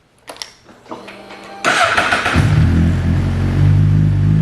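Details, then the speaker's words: Motorcycle started using an Antigravity power bank jumper cable; a few clicks, then the engine catches at once and settles to a steady idle: normal engine start. "right bike is on so you can go ahead and then remove the battery pack"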